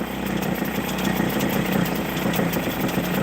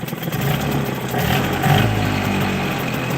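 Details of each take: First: Hangkai 6hp two-stroke outboard just after carburetor rebuild on fresh fuel. Buzzy idle winds up and back down instead of holding steady. Owner suspects the low idle set screw is off, possibly air-fuel mixture half a turn off. Hunting idle. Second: Small 6 hp two-stroke with rebuilt carburetor, fresh fuel, started on choke: buzzing at fast idle, winding up and back down; running fine, though low idle screw slightly off and trying to run dry.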